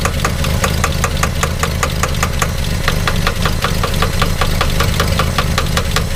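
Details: 1962 Plymouth Valiant, 170 Slant 6, 63,000 original miles, abandoned 20+ years, just freed from seizure, running on old varnished gas with an exhaust leak: steady but quick idle with light regular ticking over the rumble; idle speed needs turning down.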